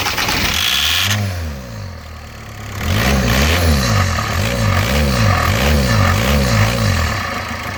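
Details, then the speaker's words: 2005 Volkswagen Jetta diesel, stopped running and won't restart, owner suspects bad fuel pump: steady cranking pulses about four per second, deep sound, then a longer crank that never catches; cranks but won't start. "I don't know it doesn't sound good man the the sound is like very deep know what I mean"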